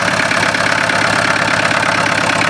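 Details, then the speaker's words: Extremely rare experimental Onan diesel, one of six made, warmed up and cleared out. It holds a busy, even clatter at a steady fast idle with no misses or knocks: running nicely. "Oh, once it's cleaned out, it's nice. Fuel to noise converter, that is, man."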